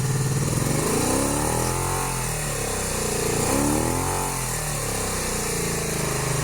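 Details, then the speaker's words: 1982-83 Honda V45 Sabre V4 after valve adjustment and ultrasonically cleaned carbs refitted, cold start: lumpy uneven idle with throttle blips, running on only two cylinders until warm, then all four; cause unknown, owner suspects plugs or ignition coils. "it is a bit concerning that the it still starts only on two cylinders the dough warms up and in a little four"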